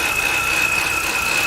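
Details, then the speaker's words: 2007 BMW 328xi E90, about 140,000 miles, stalling with P0012 camshaft retarded codes and faulty VANOS solenoids: steady high whistle over idle from passenger-side front of engine, growing louder; source unconfirmed. "I can't give you any more information other than that lotta like whistling sounds the passenger side the front right here"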